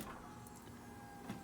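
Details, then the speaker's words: Grullon with hot-restart trouble, sat a week: key on, engine off, a faint steady electric whir as the fuel pump primes; normal fuel pump priming. "hear the fuel pump kick on turn the key where am I looking at"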